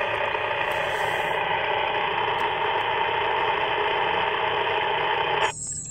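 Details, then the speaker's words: Rexing 1080p dashcam next to a ham radio on 146.550–147.900 MHz: constant raspy hiss in the radio speaker that cuts off abruptly when the camera is turned off; dashcam radio frequency interference. "turn the camera off it goes away so you know no argument it's the camera causing it happens on a lot of these cameras apparently"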